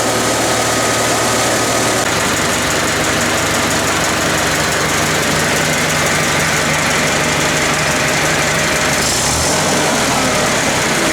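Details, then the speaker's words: International Harvester 354 tractor, running 3–4 minutes after a wire repair and cleaning the points and resetting them to 14 thou: even, steady engine note with no misses or sputters. The earlier sputtering was an ignition problem. "It's kind of weird at first, didn't want to start, but once it started, it's been running for 3 or 4 minutes now, and it hasn't sputtered or done anything weird."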